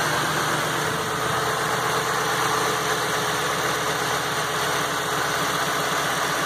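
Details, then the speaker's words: Ford F550 6.8 V10 after repair (misfire was one fouled plug), coils, injectors and MAF reconnected, alternator/water pump belt off, final test. Even, steady idle with regular firing pulse, no miss or stumble: "smooth as glass." "There you go, fellas. Smooth as glass, the way it should be."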